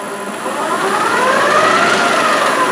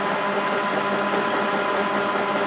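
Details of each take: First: TDCi LT230 transfer box with upgraded gears on a test bench, full of oil, about 1.5 hours running, not hot, no leaks. A spinning shaft whines up in pitch with a chattery rattle at speed; that shaft is always noisy, and a front bearing is noisy. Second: TDCi LT230 transfer box on a test bench after a gear upgrade, full of oil, run about 1.5 hours, not overly hot: smooth, even gear hum with no knocks, though a front bearing is somewhat noisy; running normally.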